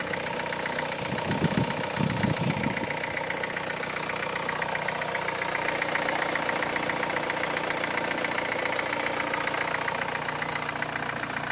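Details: 2009 MINI Cooper S direct-injection engine, about 25k miles, cold start at 35F: fast rough metallic rattle about four beats a second over idle, louder than injector tick; slack timing chain from failed tensioner, later tensioner, chain and guides replaced.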